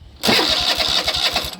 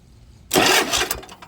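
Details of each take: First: Toro TimeCutter zero-turn mower with a Kohler engine, started on the key after the starter solenoid was replaced: brief crank, then the engine catches quickly and settles into an even, steady run; normal cranking and start after repair. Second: Toro TimeCutter zero-turn mower with a Kohler engine and a dead key, starter bypassed by touching battery positive to the solenoid lead: a sudden harsh burst of starter spin lasting about a second, then it fades; the solenoid is faulty.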